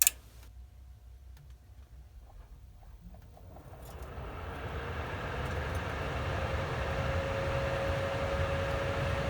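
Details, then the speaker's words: ICP Comfortmaker gas furnace after variable-speed blower motor replacement (no-cooling call, indoor fan dead), jumpered R to G: clicks, then airflow ramps up to a smooth steady rush at 50% continuous fan speed; no rattle or squeal, runs properly. "I'll let it ramp up I did not move any of the wires on the dip switches or any of that in there so they should be fine"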